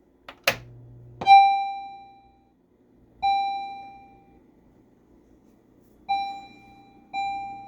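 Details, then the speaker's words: Stern Electronics Big Game pinball machine, first power-on in six years of ownership after head install: clear ringing chime tones spaced a second or two apart and fading; sound board works normally, attract mode running, displays checked next. "okay we have sound we have attract mode what about displays"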